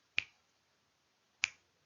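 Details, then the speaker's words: Geiger counter in a quiet room: two sharp isolated clicks about 1.25 seconds apart, normal random counting of background radiation. "and wherever we turn it on it will always be clicking and it will click randomly and the reason why it's clicking randomly is because we've always got some background radiation"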